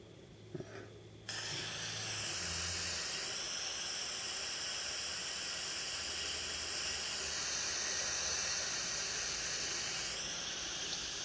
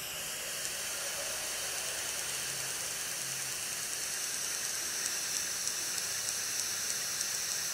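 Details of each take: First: iPod Touch 4th gen 720p video recording with Wi-Fi turned off: steady hiss with a few gliding high tones but no regular ticking; the Wi-Fi card caused the clicking interference. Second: iPod Touch 4th gen, playback of a 720p video-mode recording; a faint, steady tick about three times a second under loud hiss, caused by the Wi-Fi radio and fixed by turning Wi-Fi off.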